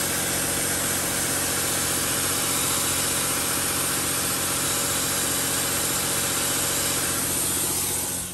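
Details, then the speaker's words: 2007/2008 Dodge Sprinter diesel at raised idle during a Star Diagnostic DPF regeneration (soot 41 g). A loud, steady hiss sits over the engine underneath, with smoke near the intake manifold. Exhaust leak suspected, not confirmed. "I can definitely hear hissing at the bottom. Oh yeah, I can not only hear it. That's where the leak is. It's really bad."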